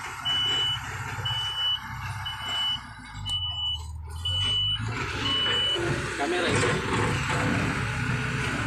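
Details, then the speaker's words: Kobelco SK200-8 excavator with low power error P0118: repeated high beeps about once a second over a diesel rumble as the warning alarm sounds; the error sometimes appears only once the engine is running and operated, and the cause is not yet found. "Tapi ketika kita hidupkan mesinnya kita operasikan dirinya kemudian muncul error nya ya"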